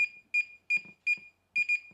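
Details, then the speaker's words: DJI Mini 3 Pro pairing after holding the drone's button 4 seconds: short repeated pairs of high electronic beeps, the double click confirming pairing, after which it went straight into the DJI Fly app. "Okay, you hear that double click. So it's gone straight into the DJI Fly app."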